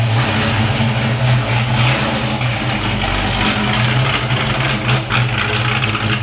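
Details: Foxbody Mustang V8 after engine work was wrapped up: even loping idle, steady rhythm, no top-end ticking; owner says that's how it's supposed to sound. Normal idle.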